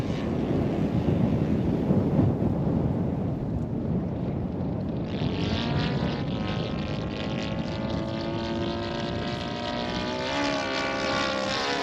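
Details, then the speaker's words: In-line twin engine in a Laser 200/ESM Hurricane model plane on its maiden flight: wind rush, then a wavering, uneven buzz as it flies past, backfiring; tuning is all out. Rough running, out of tune. "Okay, so climbing under power. Gosh, she's backfiring."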